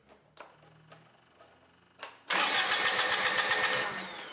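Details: Warmed-up Kubota BX25 diesel, throttle at idle, cranks with even chugging about four beats a second but never catches; fuel shutoff solenoid cutting fuel, starts only with throttle advanced; crank no start, faulty fuel shutoff solenoid.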